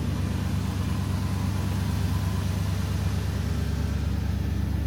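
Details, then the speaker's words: 1977 Ford F-150 Ranger XLT 4x4 with 4-speed manual, heard from the exhaust side at idle: even low rumble, about three pulses a second, no misses or ticks, no smoke; nice exhaust tone, healthy. "As you can see, no smoke. Like I said before, nice sounding, nice tone on the exhaust there."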